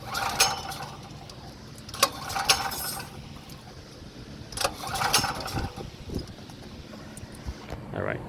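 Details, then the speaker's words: Power Mate VX generator after carburetor cleaning, including the fuel-bowl solenoid, with starter fluid sprayed in. Repeated recoil pulls give brief rasping bursts with no firing because the side on/off switch was left off. Cranks but no start. "ah i fought to flip the switch on dopey ass yeah don't forget about the honor roll switch let's try it again guys"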